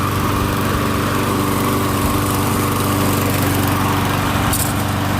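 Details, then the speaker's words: MTD Gold mower, Briggs & Stratton Quantum engine, after repair: harsh, loud steady exhaust blat at constant speed, rougher than normal; muffler only partly refitted because its mounting bolt was broken. "uh yeah i got the muffler kind of fixed but that bolt was broken it's uh it's loud i mean it's noticeable the muffler isn't right but whatever it runs quiet enough"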